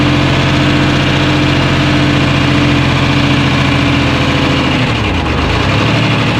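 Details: 1975 International Loadstar 1850, Detroit 6V53 two-stroke diesel, first run after loose fuel lines and empty tank; loud, rough, lumpy beat through idle and rev drop, clear miss. Owner suspects air in fuel, unconfirmed; oil pressure about 65 psi, no coolant.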